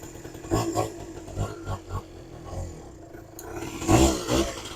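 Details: Suzuki LT80 80cc two-stroke petrol quad, just started on a bit of choke: small buzzing in uneven bursts as throttle is blipped, keeps running and picks up cleanly, normal running on choke.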